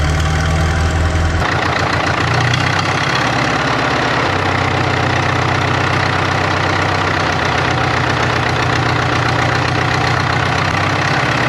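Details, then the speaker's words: 1939 Caterpillar D4 (RD4) with the Cat D4400 diesel after final assembly: rough start settling into a steady, even chug with no miss or knock. Some wet stacking suspected, needs breaking in. Running normally. "What do you think? I think we're in business. I think we got some wet stacking, but it needs broke in."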